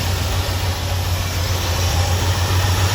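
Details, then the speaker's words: 1977 Ford F250 Custom Highboy, carbureted engine revived after 10 years sitting, leaking carburetor seal and smoke issue: steady even low rumble holding a fast idle, no knocks or misses; it has always idled high, cause not confirmed. "Okay, so before we dive into the smoke issue, this thing has always had a really high idle, and I was just looking and check out that leak out of our carburetor seal."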